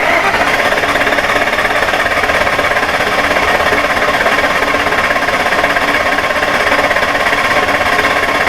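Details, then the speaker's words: 2002 Ford Excursion 6.8L V10 with intermittent stalling, compression test cranking: steady even starter beat around three per second, all cylinders including number nine good; even cranking, good compression. "okay okay there's no low cylinder here they're all good and the one I'm mainly concerned with is nine and I've got really good compression so I do not have a compression loss"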